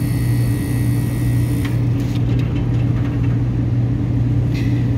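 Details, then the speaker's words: Working ice machine compressor with low pressure control pushed in: smooth, constant low hum with no knocking or rattling, already pulling suction a lot lower; healthy, unlike the neighbouring machine's damaged compressor. "Okay, so I'm gonna push in the low pressure control. Compressor's running. Yeah, see, it's already pulling a lot lower."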